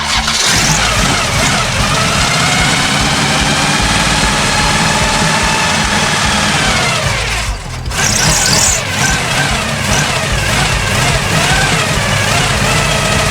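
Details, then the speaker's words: 1974 Chevy Nova first start in years on very old gas: brief stumble then steady even running, loud gear-on-gear timing gear whir from front, no knock; sounds healthy, fuel filter to be replaced. "but at least you can hear now that the motor's not knocking. It sounds healthy. This has got a gear-on-gear timing chain in it, so it's loud and obnoxious."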